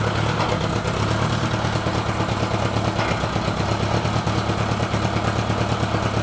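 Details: Honda GL1000 clattery idle with an uneven, lumpy pulse around two beats a second, suggesting one cylinder not firing cleanly; misfire suspected, not confirmed.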